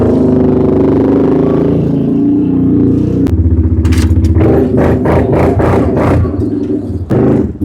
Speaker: The muffler, the back of it, the baffle, rotted off. So now she sounds like a big block.